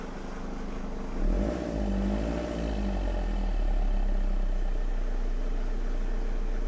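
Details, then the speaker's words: Recovery truck diesel, running right after injector seals were replaced: idle with a low, uneven flutter of about four beats a second as the noisy serpentine belt tensioner chatters; the tensioner is due to be replaced next. "and then the serpentine belt tensioner makes helicop to noisy as game so I think we're going to throw that away next for that"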